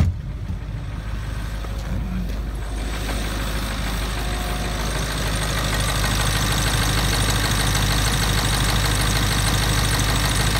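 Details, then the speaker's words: 1996 Ford F250 7.3 diesel, five-speed, cold at about 28 degrees after glow plug wait: steady even diesel clatter at cold idle with smooth low rumble, no knocks or misses, no check engine lights; running healthy. "and here we go fires up which is always a good sign no check engine lights another good sign"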